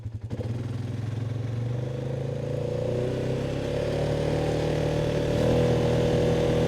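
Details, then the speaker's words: 2019 Polaris Sportsman 570 X2 single-cylinder after top-end rebuild: starts instantly, settles into an even, steady beat and revs cleanly with no knock or rattle; running healthy, now starting far easier than before. "Alright, engine sounds good. Beautiful. Well, after a rebuild, that's always what you want to hear. You want to hear it start up and run good, and she is."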